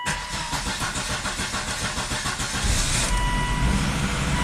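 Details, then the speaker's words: Volvo XC70 after replacing exhaust bolts at the cylinder head, codes cleared, start: cranks a couple seconds, catches into steady even idle with no exhaust ticking or puffing; exhaust leak fixed, normal start-up. "oh no exhaust leaks sweet fix that problem"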